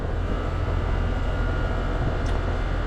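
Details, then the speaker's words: Goodman heat pump running on R-410A after compressor replacement, 146 oz charged against a 140 oz nameplate: even low hum and steady drone with no knocking, clatter or squeal, so the new compressor runs smoothly. "That compressor sounds good."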